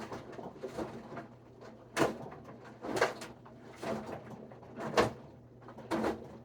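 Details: Whirlpool WFW92HEFC0 front-load washer with top removed: sharp hollow knocks roughly once a second as the drum slows and stops rotating; cause unknown.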